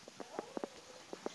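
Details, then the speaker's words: Polytron refrigerator that still won't freeze despite a replaced capillary tube and a new overload and PTC: irregular wet gurgles and bubbling pops, about six in under two seconds. "Kemudian suara ini kerucuk-kerucuk. Kemarin sudah datang lagi orang ganti overload dan PTC. Tetap saja seperti ini."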